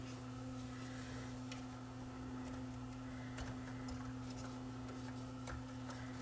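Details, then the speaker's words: Yamaha CDC-645 5-disc CD changer on the bench, no-load fault; steady motor hum with faint irregular ticks as mechanism turns, technician suspects cracked gear, crack then seen, could stick under low torque and cause skipping. "i don't like the sound of that you know i really don't like the sound of that that sounds like that gear might be cracked this gear here"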